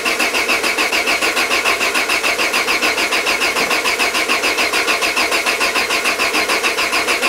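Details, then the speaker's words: Peugeot 205 with Solex carburettor just refitted: steady starter churn at about three and a half beats a second, no firing; big vacuum leak. "mouais insistez insisté ça ne démarre pas et on commence à sentir que la batterie faiblit"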